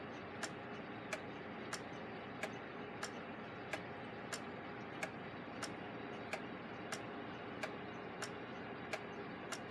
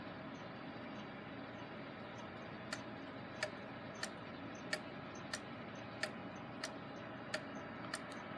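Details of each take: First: Gilbert long-drop octagon clock after rebuild, hung on the wall with the beat adjusted: crisp, evenly spaced ticks at a steady pace over a quiet background; the escapement is in beat and running normally. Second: Gilbert long-drop octagon clock after rebuild, rehung on wall: clear ticks about every two-thirds second, uneven beat lingering on exit pallet; out of beat.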